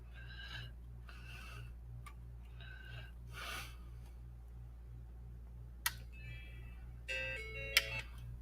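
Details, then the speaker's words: Macintosh logic board under repair: a few bright chime notes repeat over a low hum instead of the normal startup tone, so it won't boot; owner suspects the ROM. "that's strange how with this one it doesn't even want to start up. Sounds like something with the ROM too"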